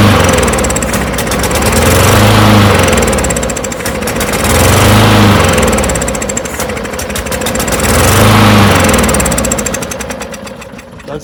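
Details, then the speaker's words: Non-running push mower: rough bursts about every three seconds, popping and spitting, then dies, not drawing through carburetor. "yeah you could hear it popping and see it blowing crap out so it's not drawing anything through the [Music] carburetor at all probably just flooded"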